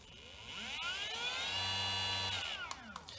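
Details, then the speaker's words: 1800W 48V go-kart electric motor switched up through the three speed modes to high speed, on 12V lead-acid batteries at about 50–52V; a clean high whine climbs smoothly to a steady top pitch, then winds down with no grinding; rated 4500 rpm; normal. "it sounds nice hopefully it goes to like even though it says it's rated speed 4500 rpm"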